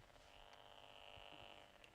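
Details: FPV combat wing on the bench with its radio: a faint, steady, high-pitched buzz that holds one pitch, coming from the wing's electronics. Source not yet found.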